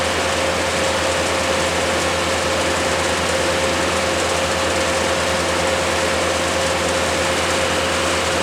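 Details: Bandit 200XP diesel wood chipper, clutch engaged and running at about 2600–2700 rpm working speed: steady, even roar with constant whirring tone, no knocks or surges; normal healthy operation.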